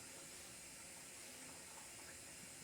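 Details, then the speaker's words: LG washer on a preventive maintenance check, first water inlet valve activated to confirm the hot and cold valves work: soft, steady hiss of water filling with no buzzing or chatter; valve opens and fills normally. "We'll go to the next valve. All right, so second valve opening up. Third valve."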